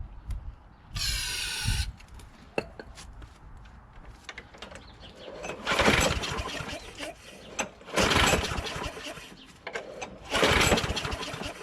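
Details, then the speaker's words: John Deere JS26 mower with a Briggs Quantum engine, after the carburetor was cleaned of gelled gas: fires in uneven surges with dips roughly every couple of seconds and never settles. The owner suspects water remaining in the fuel system. "so it seems like there's some water that was still in there that's what it sounds like sounds like it seems like there's water in"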